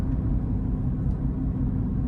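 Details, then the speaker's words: In-cab recording, radio off and AC low, Mickey Thompson Baja Boss A/T tires at about 60,000 miles, around 60 mph: steady low droning rumble with faint hum and singing, no knocks; worn tire road noise. "Got the radio off, AC cut down, so if you hear any noise, that would be the tires. They got a little bit of singing going on, but other than that, these things, I mean, they still ride good."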